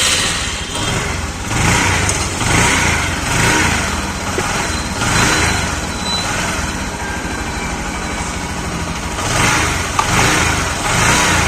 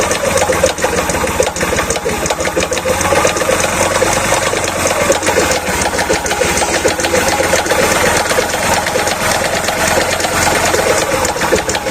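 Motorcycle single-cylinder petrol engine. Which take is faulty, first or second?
second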